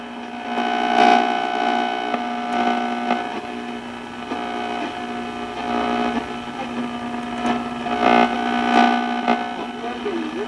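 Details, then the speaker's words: Montgomery Ward Airline 62-425 Indian Head tube radio, first power-on after replacing electrolytic capacitors and one paper-wax capacitor, not yet aligned: steady buzzing hum with a faint whistle under weak station audio while tuning; hum on reception. "it's fairly sensitive radio especially with not having an alignment [Music] it's all that noise"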